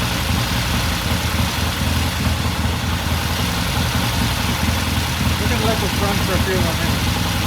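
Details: 1969 Triumph TR6 motorcycle twin after pilot jet cleaning and a half-turn pilot air adjustment, after about 10 minutes idling from cold: steady even idle, regular low thump, no misses or knocks; normal.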